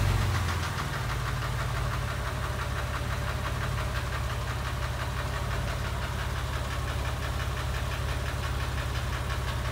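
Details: Porsche 996 3.4, warm idle in a garage: quick, intermittent irregular ticking, absent at cold start, louder under load below about 2500 rpm, fading above; owner suspects exhaust manifold, tappet or piston slap; oil pressure good.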